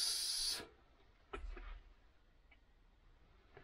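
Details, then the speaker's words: Low-mileage BMW S1000RR engine, leak-down test at 100 psi during a refresh: a short airy hiss, then a faint leftover hiss and light clicks. About half a percent leakage past the piston rings, expected and excellent. Normal slight ring leakage. "that maybe maybe half a percent and it's just leaking past the piston rings piston rooms will never actually seal perfectly not with hundred psi there"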